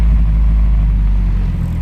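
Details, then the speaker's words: 1994–2000 Acura Integra after rewiring the fuel pump with a relay for a steady 12 volts: deep, even low rumble holding constant speed with no hunting or stumble; good normal idle. "is running we got a good idle that's the fuel pump it's running"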